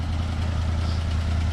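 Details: 1967 Buick GS340 after the water pump and points replacement and a cooling flush: a steady, even low idle with no misses, knocks or tapping. It is smoking less than before; normal idle.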